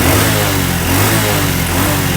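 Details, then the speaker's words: Honda Revo fuel-injected motorcycle that stalled after five minutes with a silent fuel pump, after fitting a new aftermarket fuel pump; steady throttle drone, smooth and even with no stumble or hesitation, clean pickup. "Nah, untuk gasnya itu memang tidak ada telat. tidak ada telat sepekan detik itu enggak ada telat sama"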